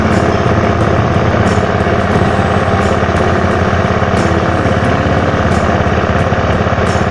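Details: 2011 Honda Scoopy scooter, original unmodified engine, started by electric starter: even steady putter at settled idle with no knocks or rattles; healthy small engine.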